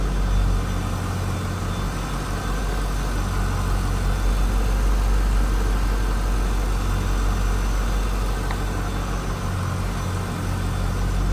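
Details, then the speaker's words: 1999 Chevrolet Corvette C5 convertible, LS1 V8, about 68,616 miles: deep, steady, even low rumble with no knocks or ticks; normal, smooth, healthy idle. "Nothing crazy over the top for an exhaust. No, anything like that. Sounds like a nice running C5. There it is. LS1 power plant."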